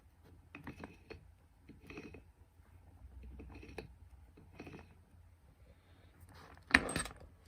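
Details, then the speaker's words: BMW E93 330d N57 ZF6HP28 gearbox oil pump turned by hand off the car; irregular metallic knocking and sticking at points from broken internals, owner wonders if overheated; failure had bent flexplate causing squeal. "If you can hear that knocking, I always trap my finger in there. There you go. And it's getting stuck at certain points as well."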